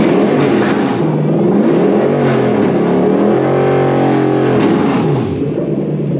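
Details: Toyota 1UZ-FE VVT-i V8 on plug-and-play manual relay/fusebox harness with transmission emulator, EMO deleted, in neutral, gearbox not attached: catches cleanly, revs up and down smoothly with even beat, no misfire or mechanical noise; normal start and rev.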